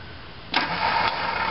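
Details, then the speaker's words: Boat engine, cold fall day about 6 °C (43 °F), cranks with uneven churn but won't fire; ignition part (generator and coils) replaced after running on 3 of 6 cylinders last year; owner suspects cold grease; primer clicking heard. "But anyways, crank this up. Oh, hear the primer? Click, click, click. Junk. It's cold today."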